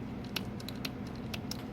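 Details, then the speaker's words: 2011 Toyota Sienna power seat slide: a few light, sharp clicks when the switch is pressed but no motor whir and no seat movement. Recline works, ruling out fuse and wiring faults; a common issue on these vans. "I hear a click, but the seat doesn't move at all."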